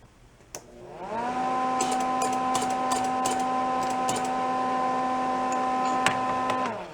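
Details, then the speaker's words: Old roadside-discarded Lincoln wire-feed welder: motor spools to a steady hum with light irregular ticking; drive roller sits proud, out of its groove and not catching the teeth, so it must be moved out to line up. "so that roller is not in the groove where it's catching the teeth on that it's proud of it"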